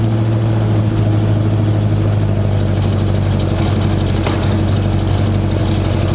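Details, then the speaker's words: 1965 Mustang, carbureted, at cold start after a new 2.5-inch true dual exhaust: an uneven, hunting idle rumble. The rough idle was later traced to a misrouted PCV line. "We got to work on the idle. The idle's not quite right, just with this carburetor and everything."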